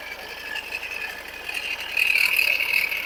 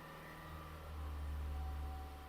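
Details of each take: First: 2017 Ford Edge diesel with a customer complaint of a sudden noise: a harsh, gritty crackling from the alternator side, with metal pieces visible inside; a failing alternator bearing, and the alternator was replaced. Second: 2017 Ford Edge diesel with sudden engine-bay grinding/whining noise, engine easing back from held revs: quiet, low, even hum that swells slightly and settles, no grinding or whine. Normal idle.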